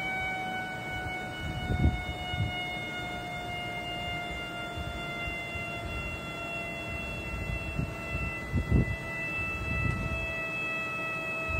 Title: Vacuum Leakage